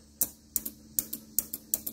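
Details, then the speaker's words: 1985 Mercedes 300CD defrost vacuum solenoid bench-tested with a tester: crisp paired clicks as it opens and closes normally, unlike the dead unit in the car. It is to be swapped in as the replacement. "can you guys hear that that is clicking the servo and opening"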